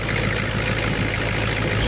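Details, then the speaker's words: 1990 Ford F Super Duty, naturally aspirated 7.3 IDI diesel, ZF5, after injector replacement: short stretch of steady even idle clatter, no lumpy beat, now really smooth versus the earlier teeth-rattling shake in the cab; normal diesel idle. "remember before I mean it was rotten your fillings out of your teeth inside the cab and now it's really smooth actually"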